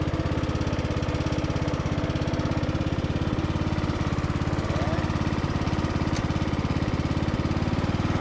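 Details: Briggs and Stratton–powered Craftsman DLT3000 riding mower cutting on test drive, deck engaged: steady single-cylinder thump at even pace with smooth deck hum; runs clean and healthy, only the deck engagement cable sticks.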